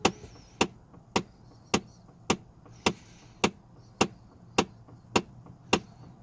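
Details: Trailblazer/Envoy, sharp even clicks about twice a second from under the dashboard, air and heat blowing only from top windshield vents; cause was a faulty HVAC heater blend door actuator.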